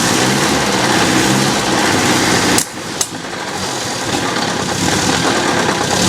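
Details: 1966 Datsun 520 farm truck's small four-cylinder, abandoned 40 years, at first start after revival on a freezing day: even idle patter, brief dip around three seconds, then settles steady with no knock. Normal idle.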